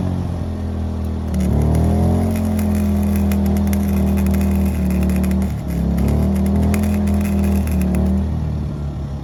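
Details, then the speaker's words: WEN 2000-watt inverter generator powering a 90-amp flux-core MIG welder: steady drone under heavy load, then sags and drops pitch as the overload trips and it idles down, welder stopping. "right here I realized that the overload on the generator tripped you can hear it just idle down and the welder stopped working"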